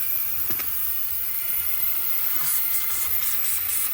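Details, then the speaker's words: 2018 Duramax L5P diesel, engine off, during pressurized boost leak test: steady airy hiss of escaping air at the never-removed front intercooler boot; boost leak found. "so that front boot that I've never taken off we have a leak so anyway we're really glad we checked for those"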